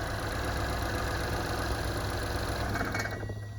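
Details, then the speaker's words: 2015 Buick Verano 2.4 Ecotec after a timing set replacement; idles steadily, then at shutdown a thin metallic bell-like ring lingers as the rumble dies; cause unknown, ringing noise at engine shutdown. "off did you hear that noise that sound like a bell I'll do it one more time just in case you didn't hear it"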